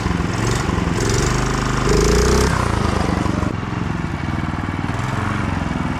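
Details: Go-kart with 11hp Honda GX340 single at full throttle: uneven, surging beat that falters instead of holding steady; stumbling when floored, owner suspects low fuel, unconfirmed.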